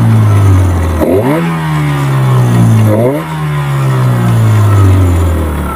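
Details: Yamaha 15 hp outboard after repair of stuck rings and a clogged exhaust: two sharp, clean revs dropping back to a steady putter, responsive, power restored. Normal running.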